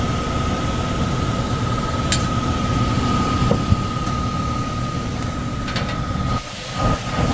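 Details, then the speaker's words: Downstairs furnace unit, call for fan not turning on, heat mode: heavy steady low rumble with thin constant hum; blower loud and shaking. Tech suspects overamping and shutting off, bearings sound clear but loud on startup; will check rated amps and capacitor. "Shaking too. Let's see if we can see the rated amps for that motor."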